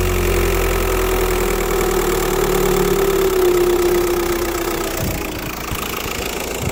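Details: Diesel idling evenly with a steady thin hiss fading near the end, like an air or vacuum leak; turbo tested with VCDS without locating it, owner suspects pressure loss (turbo, EGR or vacuum pump suspected), unconfirmed.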